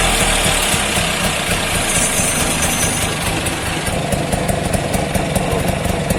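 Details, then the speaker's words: Bajaj two-stroke auto rickshaw idling after fitting a new oil pump: busy rattle with fast slightly uneven pops, no knocking or misses; running normally. "ಲೈಟಲ್ಲಿ ಕೂಡ start ಆಯಿತು."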